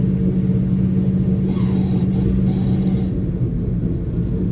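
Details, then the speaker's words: 1963 Chevy Nova 4-door driven home in about 0°F cold: steady low drone with a faint constant hum over engine and road rumble while cruising; something sounds bad in the rear end, cause not confirmed, engine also missing, gas suspected bad. "Something sounds really bad in the rear end."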